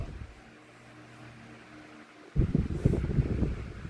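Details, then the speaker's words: 2016 Arctic Wind 12-inch desk fan, found discarded, plastic oscillation gearbox: low even hum, smooth oscillation with no clicking or jerking, then handling rustle; gears fine, normal operation. "That is one smooth oscillation right there. It's not jerking, it's not clicking in place. The gears seem to be fine, they have no issue at all."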